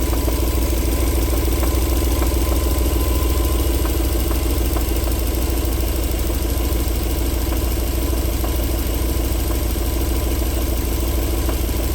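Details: 1994 Alfa Romeo 3.0 24v QV at warm idle: smooth when cold, but after about 4 minutes sharp knocks break through at uneven roughly one-second intervals; engine knock returning when warm.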